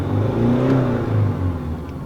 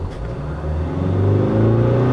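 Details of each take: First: Diesel with VGT turbo that used to jerk, cough and make wind noise when accelerating, checked after repair: engine pitch climbs smoothly under gentle throttle from low revs and settles back; intake air and boost now steady, acceleration normal. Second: Korean VGT turbodiesel with jerking on acceleration, intake air and boost pressure watched on service data; on pedal press revs rise then settle with a wavering, surging whoosh as the vanes close badly: turbo boost fluctuation from faulty VGT control solenoid.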